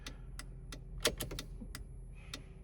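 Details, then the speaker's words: Jeep TJ with LED tail lights (Trail Tails), original LED flasher relay: sharp quiet phantom clicks at uneven gaps after the signal should stop, once a dozen extra ticks, also on hazards; later ticked on its own while driving. "It's only given 1 or 2 right now, but when I finally got sick of this thing and pulled it out, it was giving probably a dozen or so extra ticks. It'll just keep ticking and ticking and ticking when I turn the hazards do the same thing."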